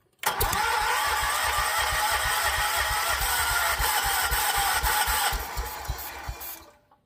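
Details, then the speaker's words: John Deere 314 garden tractor, older, maybe '80s, with a rebuilt Kohler K321 single-cylinder, warmed up after burning off old oil, still some smoke: steady, even thumping of about four per second until shut off; running healthy. "Well, after it ran here for a little bit and warmed up, it looks like it burned all that old oil off. Still some smoking going on up here. Uh that was all pretty wet with oil, but sounded good."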